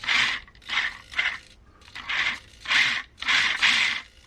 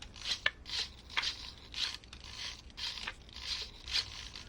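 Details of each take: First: Vanquish H10 Optic RC crawler, Knight Customs working interior, servo driven on throttle channel 5: short bursts of high buzzy gear whine, each ending in rough chatter; owner plans to swap to quieter SG90 servos; servo chatter. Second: SG90 micro servos in a Vanquish H10 Optic RC working interior: short, soft whirring bursts about twice a second, much quieter than the chattery Hitec HS55 servos; running smoothly.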